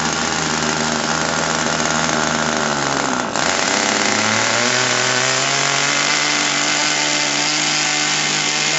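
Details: RC airplane glow engine at wide-open throttle: high whine over a low rumble, a double pitch that steps higher; running two-tone on a rich needle.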